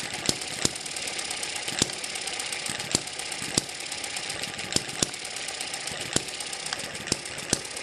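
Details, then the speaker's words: Eachine ET7 (M94-type) model hit-and-miss engine after stretching the governor springs to slow it, running just over 900 rpm: sharp, crisp pops spaced unevenly, one or two a second, over a light mechanical hiss. Normal slow hit-and-miss running. "this sounds good just over 900 rpm"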